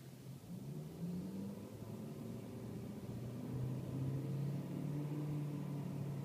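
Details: BMW E39 M5 at idle: low droning rumble with wandering pitch and a slight uneven throb; idle vibration, cause not pinned down.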